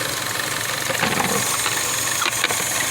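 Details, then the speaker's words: 2012 Chevy Cruze at idle: uneven rough idle with a loud steady hiss, a misfire caused by a faulty PCV valve leaking vacuum air; replacing the PCV valve is the fix. "el problema está aquí jugar aire y me fire en igual color y este es el problema"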